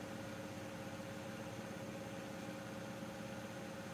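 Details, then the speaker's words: Miele washing machine on progressive spin, climbing slowly up to 900 rpm and holding about 3 minutes: quiet, even whirring hum with steady tones and no thumping or scraping; normal high-speed spin. "it holds up about 3 minutes you get quite a good spin on this actually"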